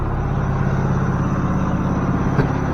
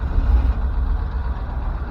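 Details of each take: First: Ford F600 truck engine after coaxing it to fire, around 2,000 rpm mentioned: steady low drone with an even beat, no knocks or misses, running smoothly; normal running. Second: Ford F600 truck engine runs then sags and dies, as if fuel starved; low uneven rumble fading out, no blow-by noticed, odd smell; engine stalling.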